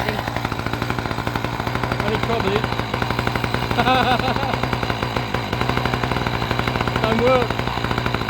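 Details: Two-stroke saw, started before fitting a new chain: steady, rapid two-stroke crackle with even firing and no misses or surging; runs normally.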